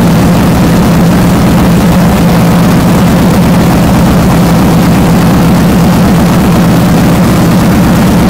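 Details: First fire-up of a freshly built 393 cu in small-block V8 pace car race car engine (Trick Flow heads, Comp cam, Wiseco pistons, MSD ignition, crank trigger) on a cold January morning after a couple shots of fuel: loud, deep, slightly lumpy idle, steady beat, no knocks; normal.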